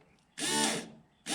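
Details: New electric fuel pump for a 1988 Ford F150 bench-tested after the old pump was found frozen: two short bursts of steady, even buzzing whir with no clunking; normal operation.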